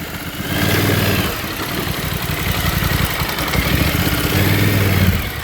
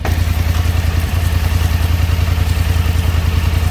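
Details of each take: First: 2024 Polaris Sportsman 1000 with its rear spark plug submerged in a pond, throttle body dry: lumpy chugging that surges and sags on one cylinder; misfire from a wet rear plug and lead. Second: 2024 Polaris Sportsman 1000 V-twin after rerouting the plug wire: even, steady idle with regular firing pulses, no misfire even when sprayed with water; normal idle.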